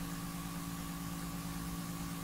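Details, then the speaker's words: PlayStation 5 cooling fan recorded with a very sensitive microphone at the vent slots, audio heavily amplified; even, steady fan hum and soft whir, normally barely audible, normal fan noise (console also has coil whine). "dieses buch ist schon wirklich extrem stark zu hören zwar aber ich habe das so verstärkt normal hört man das gar nicht das ist jetzt das normale lüftergeräusch"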